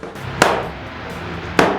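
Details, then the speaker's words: Flat-screen TV making two sharp, isolated creaking taps in a quiet room; normal, caused by heat and the expansion and contraction of its construction materials. "Pues bien realmente s es algo normal que suceda en algunos televisores más que en otros y se debe principal mente a la producción de calor a la contracción y expansión de los materiales de construcción que tienen los televisores"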